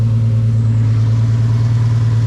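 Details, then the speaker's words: First start after a two-year build of a turbocharged 1.5JZ straight-six swapped into an E46 M3: steady, even idle with a deep smooth drone, no knocks or misses, turbo spooling; air-fuel ratio reads about 13.8–14, slightly rich; sounds healthy. "I must be dreaming right now. This is crazy to see this. It sounds so healthy."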